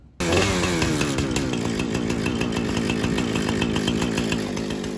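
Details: Husqvarna 455 Rancher chainsaw run after an oil pump and worm gear replacement to check oiling: steady, even two-stroke howl at high revs with no misfire, surging or rattle. Runs clean and healthy.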